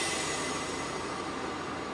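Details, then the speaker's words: New electric hot water tank replacing an 8-year-old unit, filling from the cold supply with the pressure relief valve held open to purge air. A continuous airy hiss with no knocking or sputter until water arrives; normal purge, no leaks at SharkBite fittings. "okay i'm going to let the air out while it's filling until i get water coming"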